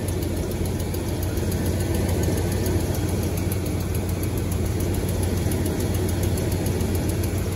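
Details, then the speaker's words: 12-valve Cummins diesel at cold first start of the day: faint, quick, even ticking keeps pace with the steady idle; owner suspects an exhaust manifold gasket leak but is unsure, cause unconfirmed. "now am i the only one that think that sounds like a manifold gasket leak or is or is that just me or is it something way worse"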